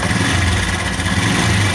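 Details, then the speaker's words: Honda Revo motorcycle at idle: steady idle with fast, light metallic sewing-machine-like chatter that disappears when revved; suspected cam chain rattle. "ini kalau tegas ini dia ilang tapi kalau dilihat kondisi langsam dia kondisinya ada suara kayak mesin jahit loh"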